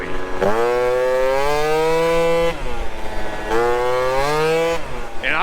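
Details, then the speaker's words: Two-stroke moped, hot, at about 10 mph: note climbs slowly and sags at low revs before picking up, a bottom-end bog; owner unsure if the pipe is the cause or lighter clutch rollers are needed. "this is annoying the whole bottom end lag is then it goes it'll be over exaggerated now cuz it's hot and I'm like going 10 m hour but watch [Applause] [Music] you guys can probably hear the bog"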